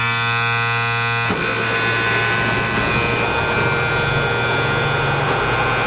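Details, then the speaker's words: M816 military 5-ton wrecker with air-over-hydraulic brakes, running with air in the system; pedal goes to the floor and a loud steady hiss of escaping air is heard, no outside leak found, cause unknown. "okay guys truck is running air is in the system okay so we're right to the floor and you can hear the air leaking"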